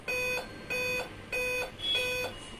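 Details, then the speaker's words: Dell laptop board LA-B843P Rev 1 powered from a bench supply with speaker attached, fan running: steady high beeps forming a seven-beep startup error code, commonly said to indicate a processor-related problem. "इस मामले में अक्सर ऐसा होता है कि कई लोग कहते हैं कि सात बीप का मतलब प्रोसेसर में कोई समस्या है। यह प्रोसेसर से संबंधित समस्या है।"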